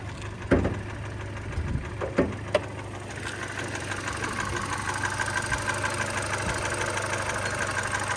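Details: 2013 Hyundai Elantra at idle: light, fairly regular tapping knock over a steady idle, suspected piston slap.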